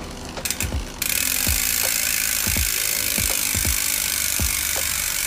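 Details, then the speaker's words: Specialized Enduro Comp 2018 mountain bike with SRAM 900 rear hub, wheel spinning free: loud, even, high-pitched ratchet buzz with soft knocks underneath; a healthy but noisy freehub. "sekarang ini bagian belakangnya, kenapa bunyinya berisik sekali, Om dengarkan, Om"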